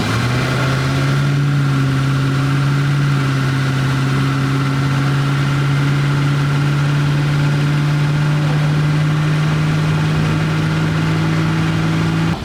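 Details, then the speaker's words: Ratty garage-find Plymouth Barracuda V8 on a second start attempt after timing checks and fixing a loose spark plug wire: low, steady burble at idle, even and smooth with no misfire or stumble, running well at low RPM. "you can just hear it at low RPM it's it's very good"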